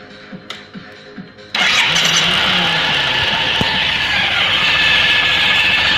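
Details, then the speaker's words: Suzuki Burgman 650: engine catches, then a thin steady high whistle from the variator while the secondary shaft turns normally; cause not yet found. "этот свист непонятный, да, вот вторичный вал вращается. Вращается как положено."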